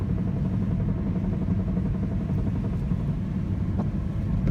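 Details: 2004 Chrysler Sebring: engine runs with a heavy, uneven low knocking under its rumble plus a few sharper taps. Front-end knocking heard only just before the engine goes under load, gone completely under load.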